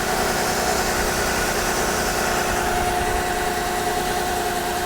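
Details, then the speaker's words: Copart salvage car with an inoperative odometer and dash lights, possibly a blown fuse, idling with the hood open: a steady, even, smooth low rumble with no knocks or misses. It is a runner, and the radiator holds coolant. "yes she is a she's a runner radiator looks like it's where it's supposed to be"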